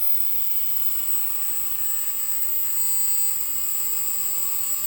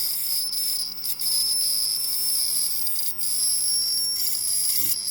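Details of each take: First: Ozone dielectric cell on a test box at full power, about 7600 Hz and 420 W: a steady, piercing high tone over an even hiss, with stable frequency and wattage and no arcing. Normal cell at full power. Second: Faulty ozone dielectric cell on a test box: shrill wavering high whine with sharp crackling snaps from arcing under power, frequency erratic, wattage low and the display resetting from inductive interference.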